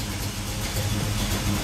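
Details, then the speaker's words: 1973 Camaro Z28 V8, warmed up, temperature gauge near halfway: low burble at about 700 rpm, slightly rough and uneven, could use a bit more idle; reasonably healthy warm idle. "uh it's iding not perfectly smooth but uh not too bad is about 700 RPM little rough cuz it could use a bit more sounds good though"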